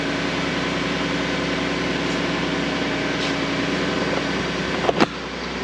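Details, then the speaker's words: 2012 Ford F150 after vacuum pump replacement (pump behind driver's side wheel well): smooth steady idle with no growl or rattle, brief clack near the end; fixed. "I don't hear anything. Hear it? That's about all you should hear when that's running. So, all fixed."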